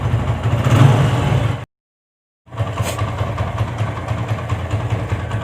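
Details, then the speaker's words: TVS Apache single-cylinder motorcycle after engine rebuild: even, low thump at idle, the earlier bad-bad-bad chatter gone, no rattle or banging; normal idle. "कि अब आवाज नहीं है बड़ बड़ बड़ बड़ करने कर रही थी जो पहले थी"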